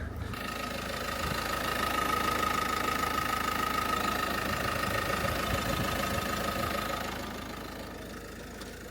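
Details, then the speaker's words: Car idling after repair: a steady, even idle with a faint high whine from the belt-driven accessories. No battery light; normal idle. "Little bit of a splutter, but we're running. No battery light."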